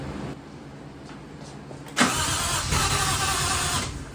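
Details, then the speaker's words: Mazda RX7 with 1JZ engine, first start after installing Radium fuel rail and fuel pressure regulator: starter churns about two seconds, catches with a roar, then dies; fires but won't keep running, cause unknown. "Kind of sounds like it wants to pop off. It fires a couple times and just doesn't want to run, so I don't understand what's going on."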